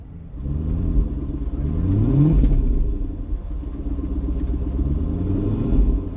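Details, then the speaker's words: Supercharged Range Rover LWB V8 after new fuel injectors were installed: smooth, even idle that rises cleanly through a few quick revs and settles back with no misses; runs better than before. "I'm gonna give it a few revs I mean the cars look look at that Idol the perfect Idol"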